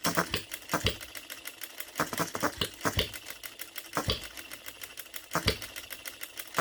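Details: OKMO Retrol B02 miniature petrol hit-and-miss engine, first start, running on 25:1 shellite with Marvel Mystery Oil: crisp firing pops about every second with lighter clicks between, steady even rhythm; healthy hit-and-miss running.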